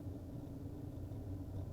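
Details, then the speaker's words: Well pump restarted after draining and recharging air in old galvanized bladder-less well tank: low steady hum with even rumble, no knocking, squeal or surging; running well, slow fill. "okay we'll turn our pump back on we'll check the pressure I hear it running looks like it is running pretty well"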